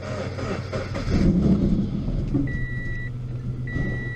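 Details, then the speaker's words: Salvage Scion FR-S first start with a little fuel added to an empty tank: long uneven cranking under a steady two-tone chime, almost catching, then runs; slow hard start, low fuel suspected. "Oh, it wants to. Come on, come on. It's running. It runs."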